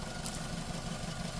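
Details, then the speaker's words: 2007 Suzuki SX4 with check engine light, rough running and no misfire DTCs, idling with an uneven, lumpy, stumbling pulse. Misfire on one or more cylinders, coils to be checked with a scope. "Okay, you hear that uneven pulse? That indicates that we have a misfire. Could be one cylinder, could be more than one."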